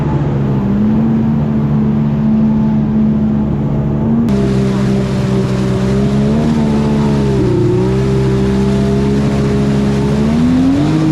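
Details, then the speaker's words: 1999 Kawasaki 900 STX jet ski two-stroke after piston/top-end replacement; steady even drone rising slightly with throttle blips, no misfire; engine sounds good, earlier lack of acceleration thought due to flooding with water. "so I plug this up and uh engine sounds good"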